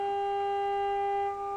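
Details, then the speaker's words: Philips 148C radio with a reworked IF transformer reinstalled and its trimmers moved, fed 455 from a signal generator after warm-up. A clean, steady tone near 400 Hz plays through the speaker with no crackle: the IF stage passes signal normally. "I've got my signal generator on and it's got 455 on it. And I'll have to adjust these cuz I've moved these little trimmers."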